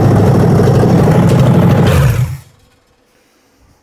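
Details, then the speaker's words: Ford 302 V8 for a 1967 Mustang after cam break-in and carburetor tuning, hot start: strong, even idle with a steady beat, then a clean shutdown; it sounds healthy and well tuned. "think it's dialed. I think it is dialed. I think we're good to go, man."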